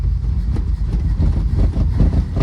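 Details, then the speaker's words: 1947 Plymouth Special Deluxe convertible with twin carbs at idle: deep, uneven, lumpy rumble with irregular stumbles and slight hesitation; vacuum gauges read 19 and 18 inches, carbs not yet balanced. "this isn't going to be extremely scientific because these aren't matched gauges if you see there that one's pulling 19 inches of vacuum and that one's pulling 18"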